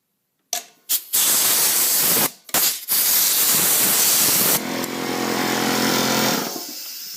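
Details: Porter Cable C2002 air compressor after regulator repair with a kit: loud steady hiss of escaping air over a low motor hum; it builds pressure normally and the regulator raises gauge pressure, with the hiss from a poor connection.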